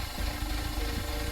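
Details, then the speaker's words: Audi, recently serviced for an unknown fault: low uneven rumble at idle with a faint irregular pulse, not settling smoothly. No check engine light, and it feels fine in drive; rough idle, cause unknown. "You guys hear that, like, it sounds like it's like a low rumble, like it's idling weird."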